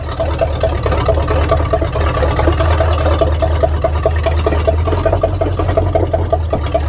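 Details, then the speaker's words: 1979 Chevy K20 squarebody, first drive after sitting 30 years. Loud, uneven running with a quick, irregular popping tick over the low rumble. Rough running; the owner suspects the exhaust, not confirmed. "well um sh don't sound the best I don't know if it's just the exhaust or what the deal is but it is one sketchy SOB to drive"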